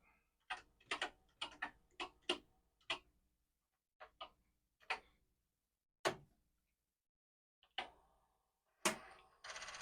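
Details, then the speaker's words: Commodore 4040 disk drive, drive 1, failing to read: sharp dry clicks in quick irregular bursts, then scattered single ticks, as the head keeps retrying. Read error, possibly a bad disk. "all right D1 is not reading nicely it's given the thing like the disk isn't done well"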